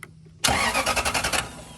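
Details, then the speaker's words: Toyota Land Cruiser with click-but-no-start, starter relay removed and bypassed with insulated wire: sharp start then about eight quick, even cranking pulses in a second; starter works fine, fault was the starter relay. "okay so the starter is working properly this is the solution now you can eliminate the starter the starter just kicked on"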